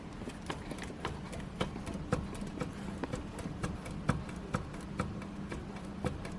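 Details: Renault Duster front brake caliper rocked by hand: sharp, uneven single metallic knocks from play relative to the steering knuckle. This is the suspected cause of the knocks heard when braking and pulling away; the fix is a repair kit with rubber bushing and cap.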